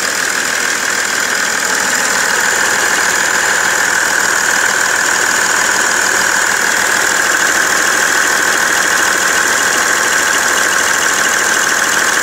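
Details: BMW 330d E91 diesel idling after main and EGR thermostat replacement, now knocking and smoking: steady, fairly even knock about three times a second above the clatter; knocking at idle, cause unknown.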